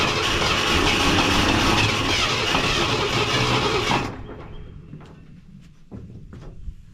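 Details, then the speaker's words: Wrecked 1974 Ford F100 parked for years, first start attempt: about four seconds of loud, fairly even cranking near 200 beats a minute that never catches; three plug wires were in the wrong firing order, later corrected. "Checked firing order. There were 3 plug wires wrong, so got that corrected."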